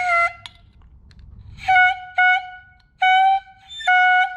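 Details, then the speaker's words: Ferrari air horns, cleaned and reassembled, rough-set on shop compressed air before tuning with the compressor: short clear blasts at a steady pitch, each a second or less with quiet between; horn tone during tuning. "So you can hear this. You can see that kind of turning. So what you do is you're going to run the compressor and you're going to tune these horns"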